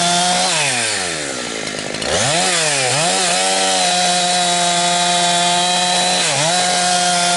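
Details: Husqvarna 362XP Special chainsaw with Walbro carb, tuned safely rich, cutting firewood. A wrong ignition coil fitted by a previous owner cuts out near 11,500–12,000 rpm. High buzzy revs drop and gargle as they climb, four-stroking at the limit, reaching perhaps only 10,000–10,500 rpm.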